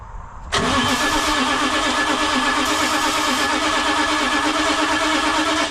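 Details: VT365 diesel bus engine with crank no start, grounds and cables cleaned, ether being tried: steady uneven cranking whir for five seconds without any firing; turns over but won't start.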